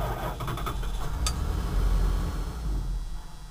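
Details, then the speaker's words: Wood gas truck running on gasifier gas with blower fan running and valve shut: low uneven rumble catches, sags and fades within seconds; starts then stalls every time, owner suspects air leaking into the system. "Starts up and then it dies. And that's with the blower running, valve shut."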